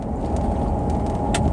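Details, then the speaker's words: Steady mid-pitched whine over tyre and road rumble on a Range Rover with automatic transmission, starting around 40 km/h and held at 40–50 km/h under load, not coasting, present in any gear; source uncertain between transmission, transfer case or differentials. "you can hear it whole game in here just the noise just starts to come in at about 40 kilometers an hour so if I just try and maintain 40 50 kilometers an hour"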